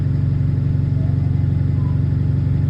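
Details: Bus 36545 (LX12DJO) on route 314: steady diesel drone with a quick, even puffing chuff on every firing pulse. Exhaust leak.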